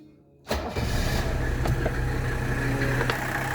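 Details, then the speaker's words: 1985 Mercedes 300SD diesel started after glow plug cycle following replacement of all fuel hoses: short crank, catches quickly and settles to steady even idle, no stumbling, no leaks found; normal start and idle. "that engine is running so good now"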